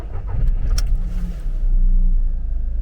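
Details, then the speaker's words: VW Polo 1.2 petrol with about 199,514 miles, bought blind at auction, cold start: catches quickly and settles to a steady, deep, smooth idle with no knocks or rattles, no engine warning lights; normal cold start. "I cannot believe it listen to that engine oh my God you're listening to the sound of a car which has done 199,50 14 miles"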